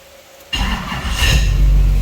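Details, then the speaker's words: Duramax diesel swapped into an Escalade, with new small battery and full exhaust: lift pump hum, then the engine starts right up and settles into a deep, steady diesel rumble; normal start, no check engine light. "uh vans start man starts right up so you hear the lift pump comes on"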